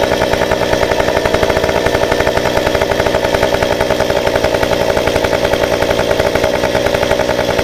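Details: Stihl 193T climbing saw with muffler mod, about 8–9° timing advance, limiters removed, 93 non-ethanol fuel, hot restart after 5 minutes off: catches immediately, then crisp even beat, steady firing, no stumble or surging; healthy.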